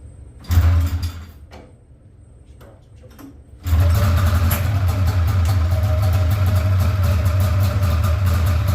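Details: Polaris RMK 700 snowmobile build, first start after work: fires briefly and dies, then restarts to a lumpy, uneven putter; engine misfire, sounds like it's only hitting on one cylinder.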